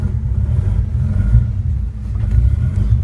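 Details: Cold engine just started on a newly installed Pandoo EFI-4 programmable injection running its base fuel map: a low, steady rumble with no clear misses. It runs but the map still needs tuning.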